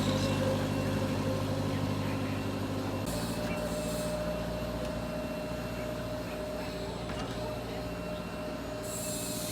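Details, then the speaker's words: Nissan CDA20 90hp marine inboard with Z-drive sterndrive on a newly assembled 6.30m boat, first launch test run on water; even steady drone with water and hull noise, holds speed smoothly without misfires, normal running. "vậy là động cơ lắp đặt cái đuôi z động cơ 90 mã lực từ lắp đặt đến chạy thử đã tạm ổn rồi ha"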